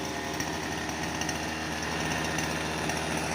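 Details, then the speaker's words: Thai grass trimmer two-stroke engine that sat unused for 2–3 months and would not start, now running after its spark plug was scraped clean of carbon: high, buzzy, even drone with no misses or rattles; normal running. "เครื่องน้องชายก็ปกติแล้วครับขัดหัวเทียนทำความสะอาดหัวเทียนสะอาดสะอ้านนะครับ"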